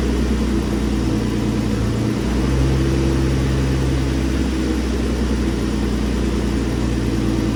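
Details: Infiniti G35, very high mileage, first start-up after twin-turbo install on a base map ECU tune: steady even idle, smooth low rumble, no knocks or misses; running smooth, some heat wrap smoke. Normal idle.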